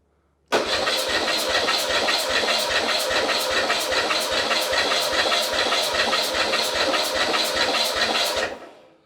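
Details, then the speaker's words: Porsche 911 Carrera 3.2L engine on test stand, compression test with ignition disabled and plugs out: steady even cranking pulses, no misses; gauge reads about 175 psi on cylinder 1, healthy compression. "All right, that's pretty high. I got almost 180. So that's 160, 170. I'm gonna say 175, maybe even a little higher."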